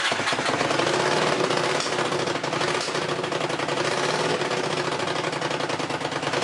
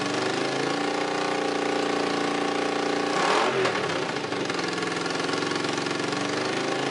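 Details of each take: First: Honda CX500 twin with exhaust leaks and possibly fouled plugs, started on choke: uneven, lumpy idle with a ragged pulse and exhaust chatter. It won't run with the choke off. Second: Honda CX500 twin running briefly without coolant or radiator, with an exhaust leak at one head: even idle with a brief rev blip that settles back cleanly, no knocks or rattles. It sounds healthy.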